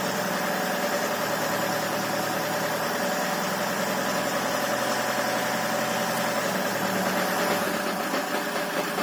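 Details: Land Rover Freelander 2 diesel running at steady speed: hard even knock within busy clatter, origin undetermined; valves, rockers, injectors, compression and timing marks checked OK, no fault codes. Finding: engine knocking.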